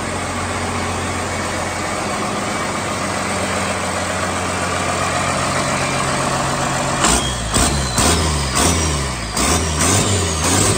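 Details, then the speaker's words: 1986 Ford F350 with 12-valve Cummins swap idling: faint repeating chirp, about two a second, traced to a bad throwout bearing; clutch not yet hooked up, transmission must come back out to replace it. "I don't know how well you guys could hear that little chirp but that is definitely not good"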